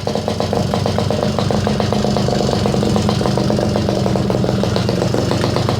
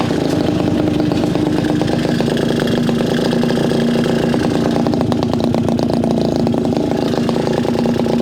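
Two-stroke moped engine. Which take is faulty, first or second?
second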